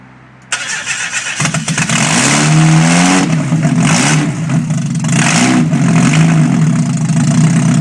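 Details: 1991 Mazda Miata MX-5 first start after full engine rebuild, open header test: cranks, catches and fires, throttle blips rise and fall, then settles into a steady, even idle; normal start and idle.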